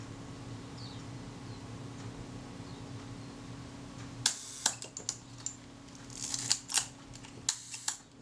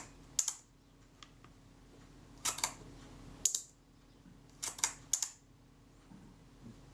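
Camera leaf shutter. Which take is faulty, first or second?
second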